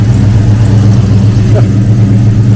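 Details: 1971 Ford Torino GT V8, after a no-start fix for a bad starter solenoid connection: settles into a steady, even low idle with a smooth rumble, no misses or knocks.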